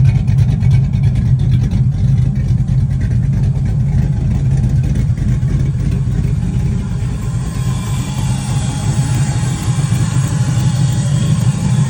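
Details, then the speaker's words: 1988 Camaro with a 4.8 LS and aftermarket cam on ACES Jackpot fuel injection, cold weather: idle tuned down to around 700 rpm, a deep, choppy but steady loping rumble, normal for the cam. "also if you don't like the way your car is idling at the time we decided to adjust this one down even more cuz the choa Cabra loves like 700 RPM or so"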